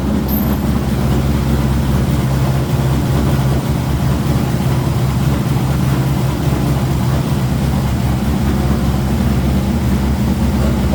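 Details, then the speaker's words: C5 Corvette V8 after head-bolt thread insert repair, restarted after a loose plug wire was refitted: even deep idle with no stumble, all eight cylinders firing; oil pressure good. "fired up again and's see if we get all eight this time sounds like all eight"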